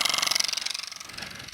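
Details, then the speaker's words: Worn massage motor from a 2005 adjustable bed frame, bench-run: harsh rapid rattling buzz about twenty pulses a second instead of the gentle vibration it should make; worn motor brushes and dry, worn shaft bushings. "that's not what it's supposed to sound like. It's supposed to just gently vibrate."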